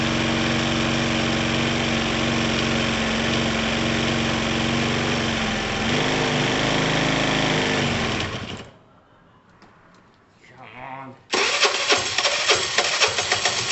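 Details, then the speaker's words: Dumped Piaggio Typhoon 125 scooter just started after a spark plug change, trying to rev it: small single buzzes at a fairly even idle, falters and dies, then catches again; owner thinks the cylinder needs to sort itself out. "see if it lets us rev it a little bit it might do it might not [Music] i think the cylinder needs to like sort itself out"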